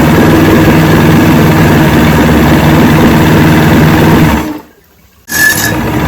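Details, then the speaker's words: 1970 Evinrude 85hp two-stroke outboard, hydro-electric shift, about 50 years old, new water pump impeller, run in a water container after shift tests: steady low idle pulse, briefly drops out then settles smoothly; carburetors judged good at idle, full throttle untested. "i'm uh i'm happy with this i think the carburetors are in good shape at least at the idle the only way to tell i guess is get on the boat and do some full throttle and see what she does"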